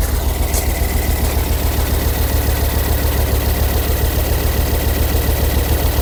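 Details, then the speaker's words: Ford Focus ST225, first start in over a year: idle holds at one speed but the rumble pulses unevenly with a faint high whine, possibly water pump; running rough, head to come off. "it is not running happy at all sounds like a bloody water pump do it mate yeah"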